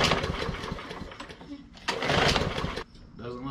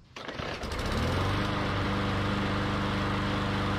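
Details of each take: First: MTD Yard Machines mower with Briggs & Stratton E/EX-series engine and plastic carburetor: primed, repeated pull-cord rasps with brief coughs that never catch; crank no start, likely from a clogged carburetor. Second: MTD Yard Machines mower, Briggs & Stratton E/EX-series engine, after cleaning the plastic carburetor jets with wire-brush bristles and refitting the foam air filter: pull, quick catch, then a steady even buzzing run with no misses; normal start and run.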